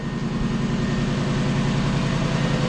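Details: Lexus LS400 petrol engine idling after new drive belt and tensioner replacement: smooth, steady low hum with no belt squeal or chirp.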